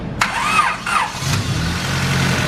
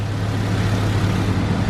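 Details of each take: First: Single-cam Honda Civic after fixing crank fluctuation sensor wiring and setting ignition timing to 16 degrees, from way off: starter turns over sluggishly about a second before it fires and settles to an even idle; slow cranking. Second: Single-cam Civic that came in with bad idle and codes, after crank fluctuation sensor wiring fix and timing corrected to 16 degrees advanced: starts a little slow, then steady even low rumble, no stumble; idle good.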